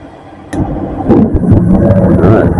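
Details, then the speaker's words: On a newly installed gas furnace, after the inducer fan and hot surface igniter, the gas valve opens with a faint hum and a sharp click. A soft whoosh follows as the burners catch and settle into an even roar, which is clean, normal ignition. "and then the gas valve will open and we'll get a flame"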